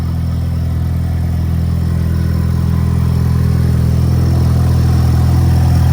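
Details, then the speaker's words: EcoBoost Mustang at idle with an exhaust leak: a deeper, more rumbly idle with a raspy edge and a steady low throb. Fuel can be smelled burning in the engine bay around the turbo, where the leak is suspected. "so you can probably hear I'm not sure how great the quality is of the audio but uh a lot it's a lot deeper a lot more rumbly so to speak"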